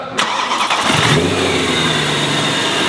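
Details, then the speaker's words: BMW E92 M3 V8 with newly installed supercharger, first proper start after rod bearings, exhaust upgrade and engine mounts, no tune yet: cranks briefly, catches cleanly and settles into a smooth, even idle with no misfire or lumpiness; normal start and idle. "start damn God damn she sounds good that woo and she's running not being lumpy with no tune on"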